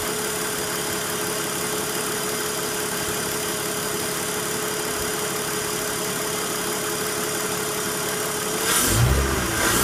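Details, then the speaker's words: BMW at idle one year after a VANOS noise repair: steady, settled idle with an even hum and no rattle or tapping from the timing end; engine sounds healthy. "So it doesn't sound like it used to. So it's a really good vibration. It doesn't have any issues right now."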